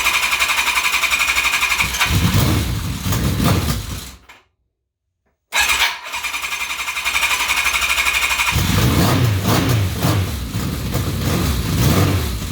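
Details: Kawasaki KZ1000P after replacing the ignition pulser with a Dynatek DS2 to fix rev hang: catches after a short pause and settles into a steady, even four-cylinder run, no ticks or knocks; normal.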